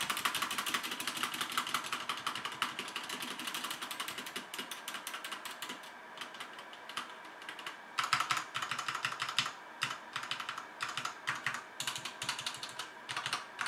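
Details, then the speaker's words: HyperX Alloy FPS Pro mechanical keyboard, Cherry MX Red switches, PBT plastic keycaps, aluminum top plate, typing test: quick even runs of light crisp clacks, no rattle or ping; switches and plate sound healthy. "so yeah the sound on this mechanical keyboard is very nice"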